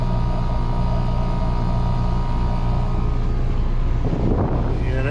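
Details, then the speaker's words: 2018 Trane package AC unit, evaporator coil had frozen solid, coil bypassed; steady low strained blower drone starved of return air, suspected unchanged clogged filter or collapsed return, which can freeze the coil. "that thing's struggling for air which is definitely something that'll cause an evaporator coil to freeze"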